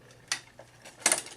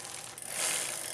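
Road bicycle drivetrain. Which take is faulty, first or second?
first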